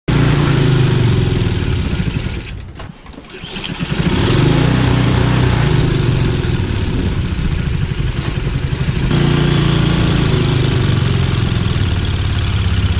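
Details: Troy-Bilt two-stage snowblower throwing thick, wet, heavy snow: steady single-cylinder chug sags hard and nearly dies, then recovers; bogging under load, which turned out to be a worn drive belt (not the auger belt), fixed by replacing it.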